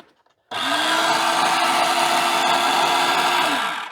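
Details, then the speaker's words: Single-motor worm-crusher juicer from a charity shop, run on an appliance tester: steady even motor hum with a faint tone holding level for three seconds, then winding down smoothly; sounds as good as it should. "So, I think that sounds as good as it's supposed to sound."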